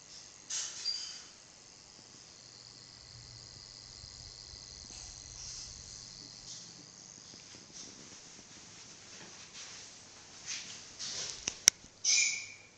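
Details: iMac 27-inch, screen buzz appearing only when the CPU is near 50°C under a cputest stress load: a faint thin high-pitched buzz and electrical whine that comes and goes; faulty backlight brightness-control board, which was later replaced.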